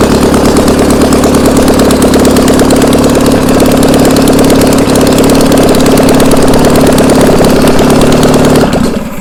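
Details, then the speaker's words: Old VW Beetle flat-four sat about two years, on a start stand: busy even clatter for several seconds, then cuts out abruptly as it ran out of gas when throttled up; fuel starvation, engine otherwise runs good. "Out of fuel. All right, well, it ran out of gas right when we went to throttle it up again."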